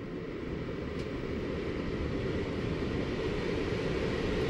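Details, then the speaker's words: HVAC system with a newly replaced X13 blower motor, after slow spins each way to find rotation: an even airy rush builds steadily louder over a few seconds with no rubbing or rattles as it ramps to full speed; normal. "it is stopping and now it is about to really ramp up and take off yep here it goes yep she's ramping up"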